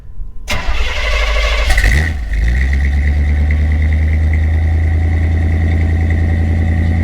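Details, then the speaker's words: 1980 Corvette C3 V8 with Flowmaster 40 exhaust, cold start: fires, stumbles and nearly dies after a couple of seconds, then recovers to lumpy idle; owner suspects the carburetor, cause unknown. "And you heard in the exhaust clip, the way it just cuts out like that. The carburetor is not getting any better, obviously."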